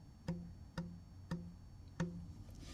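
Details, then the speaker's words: Ferrari Mondial T V8 (F119 engine, same as 348), cambelt replaced with engine in; old belt believed original from 1993. Tensioner tightened after seeming too loose; plucked belt rings about 170 Hz against 139 Hz target, so timing belt over-tensioned. "Now one of the methods you can use is the frequency and you can hear the frequency there and I happen to know that's 139 hertz. This is about 170."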